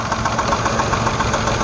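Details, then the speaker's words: Jeep Liberty 3.7 Chrysler engine at idle: sharp, rapid ticking clatter about eight taps a second over the engine, louder on one side; valve train knock from a rocker arm that has come off. "i'm really sure it's a rocker arm it's a common problem for these things let's start it up see what we hear simply isolate it from one side or the other sounds awful"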